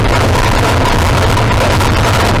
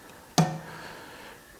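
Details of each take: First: Modified pulling tractor with a reground camshaft, big injectors and a new injection system: a heavy roar that sags a few seconds into the pull. Off the clutch without full throttle, RPM dropped and boost didn't build, so the engine bogged and made no power. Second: Tractor-pulling engine's small fuel injectors for a single cylinder on a test stand at slow simulated rate: two sharp metallic clicks about one and a half seconds apart, injecting every 2-3 seconds with small idle-level fuel; normal operation.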